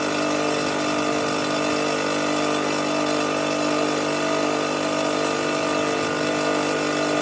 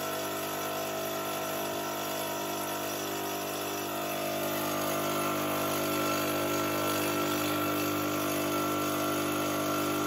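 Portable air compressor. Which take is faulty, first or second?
second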